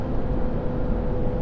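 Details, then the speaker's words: 2023 Ford F450 6.7 Powerstroke High Output towing heavy at highway cruise with a plow fitted, 55°: heavy steady low cooling-fan roar, fan engaged hard controlling temperatures as airflow to radiator is blocked, engine brake at 36%; normal fan action under tow load. "man is that fan Roar you see the engine brake jumped up to uh 36% just now again lots of fan action as we try to control our temperatures"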